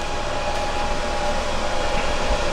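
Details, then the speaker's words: EcoFlow Delta power station powering an electric skillet (about 1,500 W) plus phone charging: steady airy whir with constant thin tone, unchanging; cooling fan kicking on and running normally under load. "You can hear the fan on this thing kicking on when it's starting to draw power like that. Obviously the hotter the skillet, the more energy it's going to draw."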